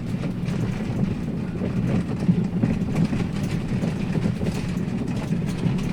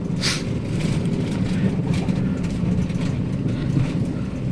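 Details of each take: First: 2017 Daihatsu Sirion on a rough-road test drive: rapid, uneven clunks and rattles over a low road rumble from the front, right front most pronounced, felt as vibration in the steering wheel; front suspension knock. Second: Daihatsu Sirion on a rough-road test drive after replacing the rack end: steady low road rumble with no clunks or rattles from the front, so the front suspension knock is fixed.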